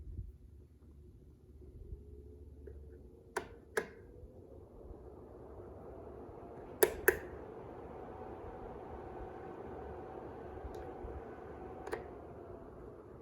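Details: Tower fan plugged into wall outlet before testing on Mophie Powerstation Go Rugged AC: soft airy hum swelling as blower spins up, a few handling clicks; quiet, normal running.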